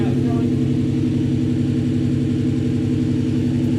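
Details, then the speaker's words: Supercharged S62 E39 BMW M5, first start after rod bearing replacement: smooth, steady idle just over 1000 rpm, even firing, no bottom-end knock; oil pressure seemingly higher than before the job; normal idle. "that is amazing at yeah just over a thousand rpm which i think that's plenty"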